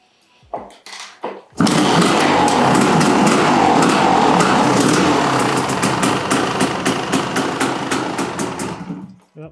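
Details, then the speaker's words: 1988 Kawasaki KX500 two-stroke, first start after engine rebuild, running off carb bowl: catches and rattles unevenly, blubbering and popping as lots of assembly lube clears; flooded at first. "hang on lot of assembly Lube in there she's going to be a little it's going to be a little flooded at first for sure"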